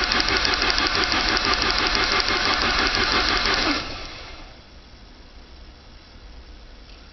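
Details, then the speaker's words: Saab 900 turbo restarted after oil pressure loss caused by a tiny steel piece jamming the oil pressure relief valve open; oil pump and relief valve removed, pump primed with grease, new filter. Loud metallic rattle of about three beats a second right after start, quieting sharply as pressure comes up. "hopefully when it starts up the rattling goes away Smooths out to where an engine supposed to sound like"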